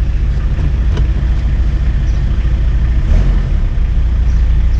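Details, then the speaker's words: 1991 Toyota LiteAce 4x4 Limited turbo diesel, right-hand drive: even diesel clatter at a steady idle with a low, smooth beat and no misses or knocks; no turbo heard but runs healthy. "i don't hear the turbo but man she sounds good"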